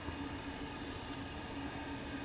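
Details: Propane burner with quartz and stainless tube: steady roaring rush with faint pulsing tone near 250 Hz; combustion resonance hum, cause unknown.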